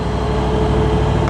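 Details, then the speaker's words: Toyota 79 Series LandCruiser after replacing the failed turbo that went into limp mode and fluttered, first drive, still cold: steady engine drone with only a faint even whine, no fluttering or screaming; turbo sounds healthy. "Still on cold. It's not fluttering anymore. I think we fixed there."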